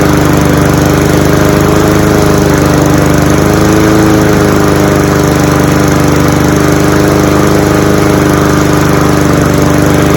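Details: Cub Cadet SC-700H four-wheel-drive mower, Honda GCV190 engine, cold start outdoors in November with fuel shut off: steady even running with no misses or surging as the carburetor runs dry for winter storage; normal running.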